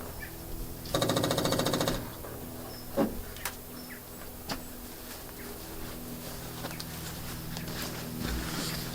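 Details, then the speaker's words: Barn-find 2CV flat-twin three-wheeler stored 25 years, electric fuel pump bridged to run with no fuel supply: fast buzzing tick for about a second, then scattered clicks. Electric fuel pump running dry. "tốt thôi vì chúng ta đã làm hỏng nhiên liệu của mình máy bơm một phút trước chúng ta có một máy bơm nhiên liệu đang hoạt động."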